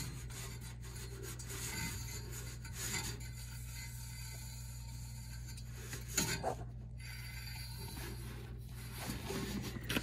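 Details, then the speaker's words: Furnace blower motor, house heat/air running: steady motor hum with a dry scraping rub on it. The blower wheel was scrubbing on material caught in it, looking like a twisted drawstring bag or filter wrapping. "thought I heard something scrubbing yep that'll do it"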